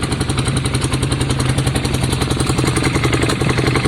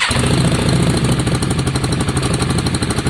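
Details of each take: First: Yamaha Virago V-twin after carb clean, new spark plugs and exhaust swap, front cylinder earlier suspected not firing: light rapid tick three to four per second on loping idle while warming up; cause not determined. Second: Yamaha Virago after carb clean: front cylinder previously not firing; with new spark plug fitted, loud even V-twin idle, steady lumpy beat, no misses; both cylinders firing, runs smoothly, a tick returns.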